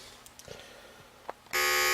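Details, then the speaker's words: 1987-dated TMC DM235A permanent-magnet DC RV vent fan motor after opening and reassembly: light clicks, then a steady even high hum with no rattle or grinding; much quieter than before, though still a noisy motor. "Alright, so I got it running now. All back together. And sounds a lot better. So, pretty pleased with that outcome. Although, this motor is a noisy little motor, and I don't know there's a whole lot you could do about it."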